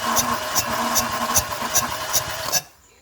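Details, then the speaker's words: Renault Clio 1.0 16v with a weak engine, cranking during a compression test: cylinder 1 reads about 120, cylinder 3 reads zero, its compression leaking into cylinder 4. Evenly spaced ticks over the starter whir; head gasket broken between cylinders 3 and 4. "a junta desse cabeçote aqui ela quebrou entre o Sininho três e o Sininho do quatro"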